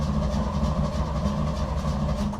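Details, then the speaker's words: 1955 Chevy dump-bed truck, sat 23 years, cranking after a jumper wire was run from the starter power wire to the key-switch red wire and the starter button pushed: steady, even cranking with no grinding or clicking; normal starter cranking. "At least now it's turning over and we can move on to seeing if we can get this thing to fire up."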